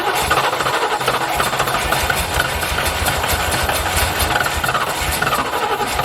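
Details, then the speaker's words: Rover P6 estate V8, five-speed manual, barn find long unused, first start drawing old petrol: uneven chuffing "like a steam train" with irregular pops and rattly knocks at lumpy idle; misfiring, slowly picking up as fresh fuel arrives. "but it's firing though isn't it chuffing like a bloody steam train but it's working"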